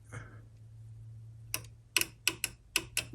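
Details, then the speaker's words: Newly installed in-coolant fan switch tested by grounding the sensor spade terminal: six sharp relay clicks over a low hum but no fans run; relay output wiring to be checked. "just trying i hear it click in the uh i hear it clicking the relay over but i don't hear any fans running"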